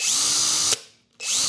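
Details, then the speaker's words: Hercules HC92K1 brushed hammer drill, new out of box with 2.5 Ah battery: two short trigger pulls, high even motor whine spinning up and winding down cleanly, normal running; something rattles inside when shaken. "I'm so used to tools being brushless nowadays that when you see a brush tool come along that's new it kind of throws you off this is a brushed tool"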